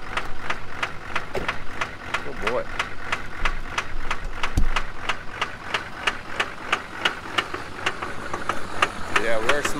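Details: 2003 GMC with Duramax LB7 diesel, cold start the morning after a 150-mile trip: sharp, hard knock about three times a second over a rough idle with heavy black smoke, from a stuck-open fuel injector; replacing injectors fixed it.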